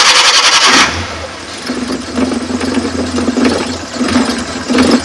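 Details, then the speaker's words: 2005 Suzuki Carry PV 1.0 cold start: brief starter crank catches, then a settled low-rpm idle with gentle regular pulses, smooth, no knocking from rocker arms, con rods or bearings. Normal cold start and idle. "ini kondisi mesin masih dingin ya. Dan untuk kondisi RPM rendah, ini suaranya masih halus, masih oke. Tidak ada ciri-ciri seker, stang seker, metal kena."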